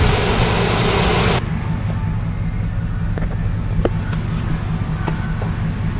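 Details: 1968 GMC V8 at hot idle in gear after an oil cooler was installed; oil pressure just under 30 psi, previously 14–15 psi; steady, even low rumble after a brief fan rush, no knocks or misses.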